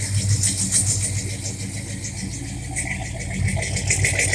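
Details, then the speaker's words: 1968 Pontiac LeMans first start after engine rebuild and bodywork, timing about 9°, no leaks, cold; deep, steady idle with even low exhaust pulses, no knocks or ticks; healthy. "This thing sounds mean as a snake. It is mean as a snake."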